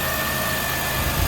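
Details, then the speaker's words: 2008 Chevy Impala 3.9L V6 after alternator replacement, belt routed and aligned: steady idle with even low hum and faint constant whine, revved; old alternator noise gone, no grinding or squeal; normal idle. "now the next step is to just start it and see how it goes and the belt is working and rev it and see if that that noise is gone good the noise that the old alternator was making is gone"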